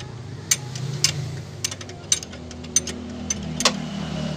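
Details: New Avanza 1.3 at idle on a cool morning: sharp chirps roughly every half second over a low idle; squealing hardened fan belt slipping, with tensioner pulley suspected worn and making srek-srek noise.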